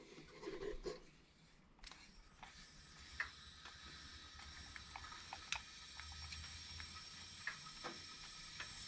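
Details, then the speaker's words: Leak-down test on cylinder eight of a '51 engine after burnout damage: steady airy hiss under handling knocks, about 80 in and 65 held in the cylinder, air blowing into the crankcase; leak point not yet confirmed. "leaking massively over here yeah this one actually looks better yeah i'm at almost 80 and i'm about 65 in the cylinder so i'm blowing on the crankcase over here"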